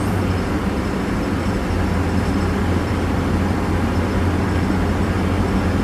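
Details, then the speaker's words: Mitsubishi Mighty Max after front wheel bearing replacement, driving at about 40-50 mph, where grinding was heard before the repair: steady even road rumble with no grinding or growl; bearing now quiet, apparently fixed. "yeah i think it's fixed so i don't know how fast i'm going but"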